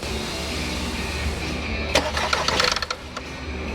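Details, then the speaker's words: 2010 Volkswagen Tiguan 2.0 TSI, 316,374 km, no start with codes P0300, P0341, P0016: even cranking, one cylinder fires and it dies; compression seems present; timing chain skipped teeth suspected. "all right so it's like it crank fine it kind of picks up and then it dies there's like one one cylinder fire and then die"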